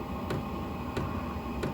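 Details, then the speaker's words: Vevor diesel heater heating a greenhouse and chicken coop: sharp tick about every two-thirds of a second over the fan hum, from a vibrating fuel line touching something. "You can hear it clicking, and it's not supposed to actually click. This is um something that if this was in your camper, you would not want to hear that click. All it is is a fuel line that's touch that's vibrating."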